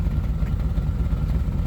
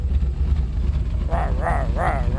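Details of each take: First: 1989 R30 square-body V8, warm after 10–15 minutes, holding about 5 psi oil pressure, cat-only exhaust. Idle is slightly uneven with an occasional weak exhaust beat, a light misfire. Owner suspects the distributor cap and rotor, not yet replaced. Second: 1989 R30 crew cab square body truck after tank cleaning and a 150-micron fuel pre-filter that keeps the pump quiet: a deep, steady idle with no knocks and a brief wavering chirp. It sounds healthy; a pump or pulley still needs replacing.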